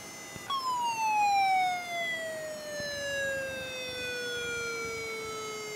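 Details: Very old laptop hard drive powered on: a thin, siren-like whine sweeps down from a high pitch and holds unsteadily; abnormal spin-up noise, cause not determined.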